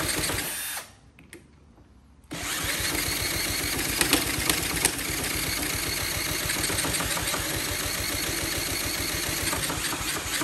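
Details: Honda CT70K1 bought at a swap meet, first start attempt after the electrical system was checked: even, quick chuffing about three beats a second as the engine is spun over, never catching and running. Cranks but won't start.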